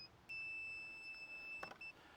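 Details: Multimeter on continuity, probes shorted together while testing a starter relay on a Doosan excavator: clear high steady beep over a second, then a short chirp; the meter's continuity function works.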